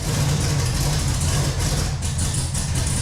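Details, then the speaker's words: 1968 Camaro with a fresh 383 stroker of about 500 hp and a used 750 CFM double-pumper carb: the V8 lopes at a very low, heavy, uneven idle, barely staying lit, from too-retarded timing, a rich mixture and low idle speed; correcting the timing raised idle to about 1100 rpm. "The idle was too low, the mixture was too fat, and the timing was too far retarded."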